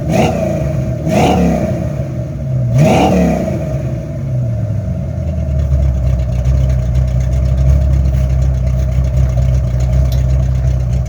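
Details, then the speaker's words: 1983 Ford Mustang Fox body carbureted V8 after carburetor swap; three quick blips rising and falling cleanly, then steady even idle with no misses or stumbles: normal revving and idle. "Yeah, buddy. I got this thing going. Listen to that baby purr. Sweet."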